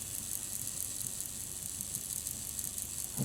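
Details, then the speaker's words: Minitrix R166 Santa Fe F7 model loco, bought as a non-runner with a misplaced brass worm bearing, now repaired and reassembled with bogies and vibration removed: faint even high whirr, running smoothly and quietly in both directions. "Okay, one direction. And the other direction, smooth as butter."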